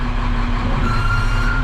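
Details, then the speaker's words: Snow plow truck idling low and steady; a thin high hydraulic valve screech rises as the plow reaches its end stop, trying to send fluid where it can't go; power angle control sticks instead of returning to centre. "you hear the valve screeching because it's like obviously trying to send fluid where it can't go so that's something we're going to have to look at"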